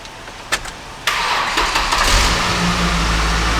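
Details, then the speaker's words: Car jump-started after being connected to a running donor vehicle for three to four minutes: about a second of cranking, then it catches cleanly and settles into a steady, even idle; normal start. "so obviously we got the vehicle fired up"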